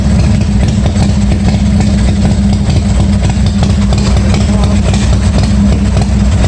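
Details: 1986 Harley-Davidson Softail, first start after a starter and wiring repair, with charging confirmed working. The twin gives a deep, even loping thump at idle, steady with no misses or clatter: normal idle.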